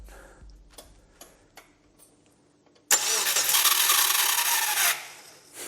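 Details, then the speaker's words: Subaru Brumby with a rebuilt engine, ECU disconnected so no fuel or spark, test cranking: loud, rough, strained starter whirr for about two seconds with no firing; an unhappy-sounding starter motor. "like an unhappy starter motor starter motor"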